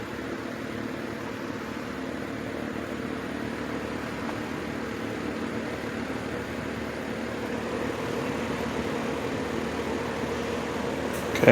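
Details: 1950s Wizard box fan after cleaning and service, run in reverse mode on low speed: soft, steady airy hum with no rattle, rub or wobble, a click near the end; fan runs fine.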